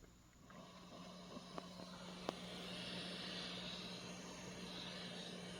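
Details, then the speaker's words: Roland JC-120 guitar amp with no signal at full volume, no effects: steady hiss over a low constant hum, the normal self-noise of this rather noisy amp. "if you're thinking about buying this amp there's something you might want to know first this is a rather noisy amp"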